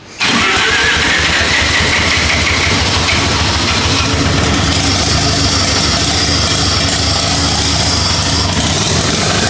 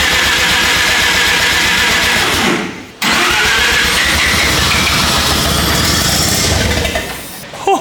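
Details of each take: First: Lamborghini Diablo replica with 13b turbo rotary, restarted after ignition timing adjustments, no coolant in engine: catches almost instantly after a brief crank, then holds a steady, busy rotary idle with no misses; normal idle. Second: 13B turbo rotary swapped into replica Lamborghini Diablo, first start attempts before timing set with timing light: long fast cranking, turbo spooling on crank, a few stumbling fires that almost catch; running funky from ignition timing fault.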